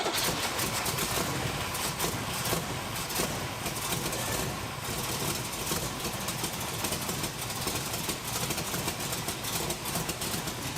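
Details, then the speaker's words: 1967 Chevrolet Camaro V8, 4-speed, first start after 15 years sitting, tires off ground: loud, slightly choppy idle with uneven cam lope, no knocks or misses, burning off some oil and dust; healthy cold engine. "She's got a little chop to her. Sounds pretty good. Burning a little uh oil and dust off the engine, but sounds good."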